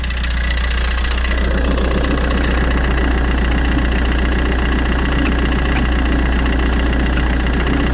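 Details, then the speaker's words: Fiat 500 idling with the belt refitted: a constant dry scraping rasp over the engine hum. The noise disappears with the belt removed. Worn alternator bearing. "je vais démarrer le moteur hélas là c'est bien la preuve que ça de l'intérieur celle roulement de l'alternateur qui est fichu"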